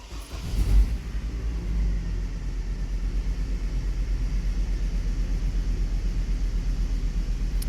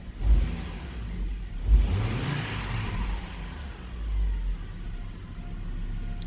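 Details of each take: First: Hummer H3 running with one ignition coil unplugged: engine rattles with more vibration, deep uneven loping idle, and a weird drop when accelerated; cylinder misfire from a failed or disconnected ignition coil. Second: Hummer H3 at normal idle with all ignition coils working: a steady, deep, even rumble with no misfire stumbles, shown for comparison before a defective coil is demonstrated.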